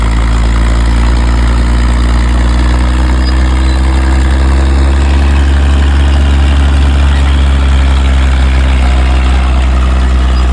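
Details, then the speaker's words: Caterpillar D6 dozer pushing up to a bench: deep steady diesel rumble holding even and strong under load, no knocks or misses, smokes a bit; normal running under load. "the old girl does uh smoke a bit there but she sounds good and can hold her own in it big old push"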